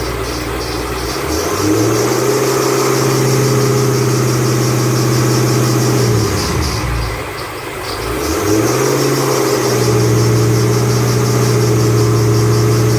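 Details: 2008 Bullitt Mustang, 8-rib serpentine belt, the morning after sitting overnight in the garage, under 30 miles driven: a steady tone sags and climbs back as revs drop and rise, a slipping, squealing serpentine belt.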